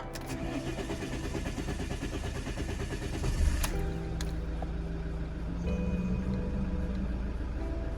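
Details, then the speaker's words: Alfa Romeo Giulietta diesel after fuel filter change and purging air from the filter: starter churns a few seconds longer while fuel comes through, then the engine catches and settles into an even idle in neutral; normal start. "Brilliant. There we go. So that's what I was expecting, just a moment for the fuel to come through properly, exactly as it did."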